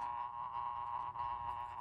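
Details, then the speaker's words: 1930s Sessions electric clock with Hammond parts, first powered on before repair: a steady high whir with a faint irregular buzz, very noisy though working. Dirty, dry gears are suspected; cleaning and lubrication are planned. "Well, one thing I can tell you, it's rather noisy. I think you can hear that."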